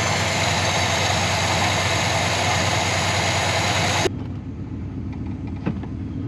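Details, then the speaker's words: Barn-stored 1969 Buick Wildcat big-block V8 with 10W30 oil and new oil pump: steady even idle, no ticking or knocking, much quieter than before, instant oil pressure, no blow-by. "I think that 10W30 and that new oil pump definitely made a big difference. Much quieter. Huh? So much quieter. I like this thing, doesn't have any blow by or anything."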